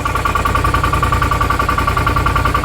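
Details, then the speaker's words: 2018 Odes Dominator 1000 X2 LT V-twin, limited to 24 mph with low power: lopsided, chuffing idle firing on one cylinder; rear cylinder reads 102 versus 200 on the front; spark plugs or coil suspected; dead rear cylinder. "I can still tell you something's going on with a real rear cylinder it's not getting hot current one's already 200 the rear is 102"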